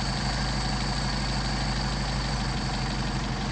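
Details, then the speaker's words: Mercedes 190SL with Solex 44PHH carburetors on test at about 600 rpm (factory around 750), idle mixture screw turned in until stumbling then backed out: low, uneven idle that sags and stumbles; idle stumble from mis-set idle mixture. "And you hear the engine degrading, the RPM degrading, backing it out. You get the best running."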